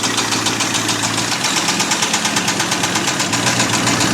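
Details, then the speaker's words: Abandoned 1989 Ford F250 5.8L V8 started on a new battery after fuel injector wire repair, never revved: a loud, sharp knock repeating steadily at idle over the rumble; a deep, unhealthy internal knock, cause not pinned down. "But that knock definitely doesn't sound healthy at all."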